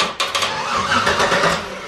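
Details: LS-swapped S10 Blazer, first start attempt, engine strapped down, battery terminals clamped on, starter signal wire connected: brisk, even starter cranking spinning the engine freely; starter and signal wiring working.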